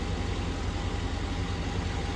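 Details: 2004 Chevy Silverado 6.0L V8 idling after Motomatic motor flush cured lifter ticking: smooth, steady low idle with no ticking or tapping, lifters quiet and even; normal idle.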